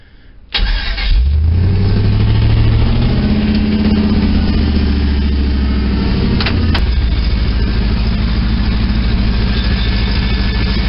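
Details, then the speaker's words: Rebuilt 5.3 Vortec V8 first run after the rebuild, with no neutral safety switch and wind noise over the recording. It fires, flares, then settles into a steady, even low rumble; the idle sounds all right, but the higher end and tune still need addressing. "yeah the wind's going to interfere quite a bit here but hopefully you can hear it sounds pretty all right I think the idle might be all right but the higher end stuff needs to be addressed"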